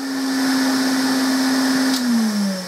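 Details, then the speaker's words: Earlier Hoover Constellation 867A with an all-metal motor, plugged in and running: steady hum with a soft high whistle that sags lower near the end, quieter than a later unit but still good suction. Quieter running because the machine is clogged. "but the main reason why it's quieter is because it's all clogged up"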